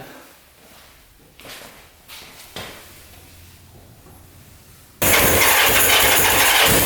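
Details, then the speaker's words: 1979 Suzuki LT500 Quadzilla quad swapped to 750cc, after fitting a new battery and fixing a coil wire that pulled out and sparked on the engine: catches at once, steady crisp exhaust beat, no stumbling or popping. "all right that sounds a lot better check the exhaust gaskets those look pretty good all sealed up"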